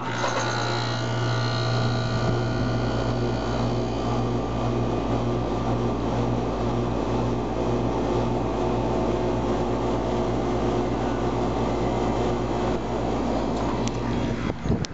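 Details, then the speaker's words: 1997 Carrier 3-ton 10 SEER base-model condenser, first start of 2011, about 75°F outside, before spring cleaning: fires right up, unit shakes at startup, then smooth even compressor hum and steady fan whoosh; sounds as always, normal running. "it fired right up as usual what would you expect uh with the carrier man there's a condensate train i read it sounds just like it always did perfect unit"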